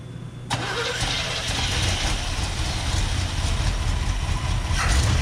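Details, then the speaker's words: 1978 Chevrolet C30 ramp truck off the road about seven years, small block Chevy with HEI and Edelbrock, at minus four degrees: the V8 fires up and settles into a steady, even rumble with no misses or knocks. "it's got a little small block Chevy HDI Edelbrock just fires up Idols no noises"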